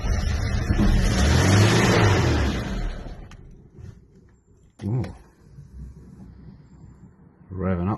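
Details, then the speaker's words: 1993 Mercedes-Benz 124 E220 Coupe, 2.2 four-cylinder, starts after new external fuel pump fitted (something was stopping fuel flow); engine catches and revs cleanly with crisp blips rising and falling without hesitation; normal start and revving. "There was something stopping the flow. Mhm. Well, it starts anyway."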